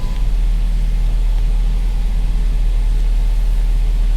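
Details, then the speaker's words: 2010 Chrysler Sebring Touring four-cylinder salvage car, idling just after a cold start: deep, steady drone with an even beat and no knocks, misses or squeals. A normal, healthy cold idle. "It runs great. It's a cold start."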